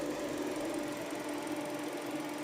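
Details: Newly fitted brand-new radiator fan motor assembly, replacing a noisy old one, airflow direction checked correct: steady mid-pitched whir with no rattle or scrape; running smooth and healthy.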